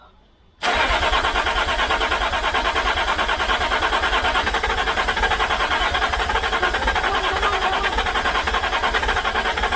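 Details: 2006 Land Rover Discovery 3 TDV6 2.7L after a full engine rebuild, with no muffler and the starter temporarily bolted in: it cranks steadily at about three beats a second but never fires. The crankshaft position sensor signal is suspected, and the original sensor was reinstalled for testing.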